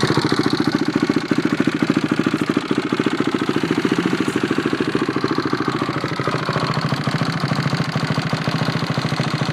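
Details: Freshly rebuilt engine on first start after rebuild: settles into a steady, even chugging idle of about three to four pulses a second with light mechanical clatter, running normally.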